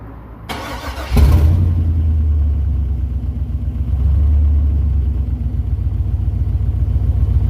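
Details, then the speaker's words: LS 6.0 V8 swap, first start, intake run to the MAF sensor: short crank, catches with a loud bark and settles into a steady, even, deep idle; starts, runs and idles on its own. "well she's alive she is alive okay guys so the video of his starting he does start he does run does idle on its own and I am able to rev it"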